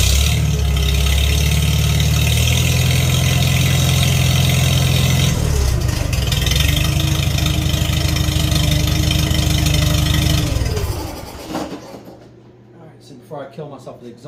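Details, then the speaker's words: Farmall 300 Row Crop tractor, sat a while, test run after carburetor cleaning: catches quickly on choke, settles into steady even idle with smooth beat, then switched off; running cleanly, floats shutting off well. "So far, floats are shutting off beautifully. The fuel's still on. Started right up with choke, of course."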